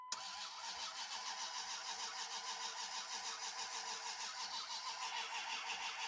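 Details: 2001 Dodge Ram crank-no-start after apparent overheating, coolant smelling bad, tach not moving: rapid even cranking about three beats a second, thin hollow tone, no firing; cause not yet found.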